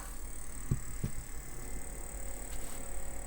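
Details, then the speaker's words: Apple II Plus Disk II floppy drive after teardown, cleaning and speed adjustment (speed check solid): steady low whir with soft clicks, smooth even spin, no scraping; drive sounds healthy. "doesn't sound bad and will attempt to do something here"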